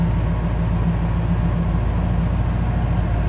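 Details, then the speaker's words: 1962 Chevrolet Impala two-door hardtop V8 at idle: smooth, even low rumble with steady beat, no exhaust leaks or lifter ticks; normal idle, nothing out of the ordinary. "As you can hear, the car runs very smooth, no exhaust leaks, lifter ticks. Nice little rumble to it, nothing out of the ordinary."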